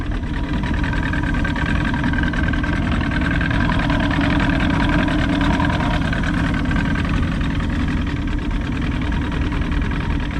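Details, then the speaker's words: Johnson 90 hp outboard right after power pack replacement: low, even, quiet burble at steady idle with no misses or rattles, running healthy, though the owner notes something is still making an unexplained noise. "healthy, pretty quiet."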